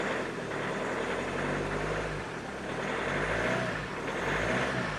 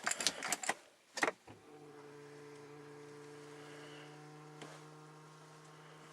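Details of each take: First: Hyundai Santa Fe I 2.0 CRDi diesel after in-tank fuel pump repair (no-start, odd pump noise, weak battery): just started, steady even idle with soft rumble and gentle slow rise and fall; running smoothly and healthy. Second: Hyundai Santa Fe I 2.0 CRDi diesel that won't start, battery possibly weak: ignition-on steady low hum from in-tank fuel pump labouring heavily for several seconds, engine not running.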